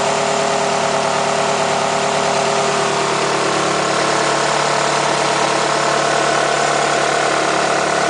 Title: Nissan Altima 2008 2.5S - Engine Noise